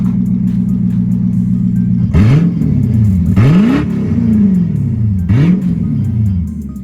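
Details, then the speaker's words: Lexus SC400 V8, just back on the ground after its open differential was welded: steady low throaty burble, then three quick blips climbing and falling back smoothly; revs clean, normal. "It's not bad. It sounds like a throaty V8. Well, I mean, it is a V8. That's not terrible."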